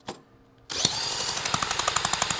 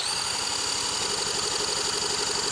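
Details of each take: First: 1977 Honda Z50 stored 25 years, spark plug out then refitted, good spark confirmed; a drill spins the engine with crisp, even pulses about eight a second; compression sounds good. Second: 1977 Honda Z50 stored 25 years, carburetor just removed and cleaned; engine spun over at steady rate about four pulses a second without firing, cranking no-start; spark and compression later confirmed good.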